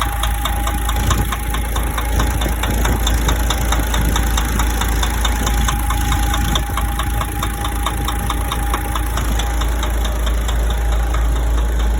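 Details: DAF 105 truck diesel idling: sharp, fairly regular knocking about three times a second; clear internal engine knock, cause not pinned down.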